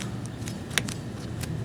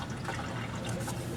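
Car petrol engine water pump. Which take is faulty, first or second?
second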